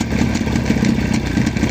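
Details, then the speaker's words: Jawa 638 two-stroke motorcycle idling with loose uneven clatter from the clutch side, remaining after fitting a chain tensioner/damper meant to stop the chain hitting the left crankcase cover; cause still unknown. "есть с двух посторонний тоже есть Ну будет время найдём и устраним этот косяк здесь должно быть всё Глухо и чисто без всяких посторонних шумов"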